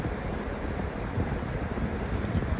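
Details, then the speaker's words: Lasko 20-inch Elite Collection Cyclone floor fan (circa 2015–16), four-speed, on speed three; steady fairly loud rush of air with no knocking, ticking or wobble. "It's actually pretty well balanced. I don't feel any vibration."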